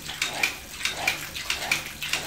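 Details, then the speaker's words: Household water pump short cycling ("cetak-cetok") with the tap opened half then wider; sharp paired clicks about every half second. Cause: the pressure tank has lost its air or nitrogen charge (rated 0.9 kg/cm², about 0.9 bar), held by an internal balloon or diaphragm. Fix: replace the tank. "Nah, udara di dalam ini kalau hilang itu maka bunyinya akan cetak-cetak seperti ini."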